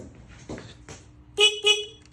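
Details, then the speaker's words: Free 1980 Honda XL500S motorcycle during reassembly, wiring checked after brake light: three short clear horn bleats at steady pitch over quiet background: horn working normally. "Got a horn."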